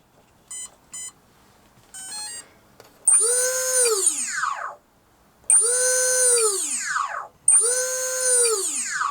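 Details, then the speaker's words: Sinbad balsa RC plane with the servos and ESC removed and only the battery connected, to trace an earlier noise: short beeps, then three loud high whines rising and falling; the electronic noise source is still unknown. "So I've taken the servos out and the IEC, and I'm just going to put the battery in. See what's causing that noise."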